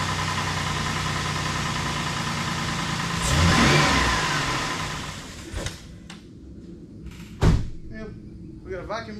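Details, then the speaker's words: 2008 Ford Explorer 4.0 SOHC first start after timing chain replacement and engine reinstall, sludge found in engine; catches, surges and sags, hunting instead of settling to steady idle; owner suspects something somewhere, cause unconfirmed. "see what happens that's good so far [Laughter] a little bit of a hunter [Laughter]"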